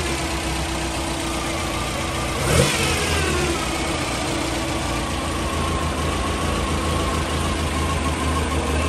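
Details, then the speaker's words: Toyota 3TC engine just started cold after timing gear drive install, in a garage: even idle, then a light gear whine rising with revs and settling back, louder inside than outside; normal straight-cut gear drive noise, acceptable to the owner. "so you can hear it inside more than outside I'm okay with that for right now"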